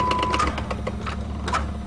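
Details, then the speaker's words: Worn Dodge van, started at about 20 °C after sitting three months: light, uneven ticking clicks over a low engine drone. The fan blade is hitting wires. "that's the fan that sound hitting some wires"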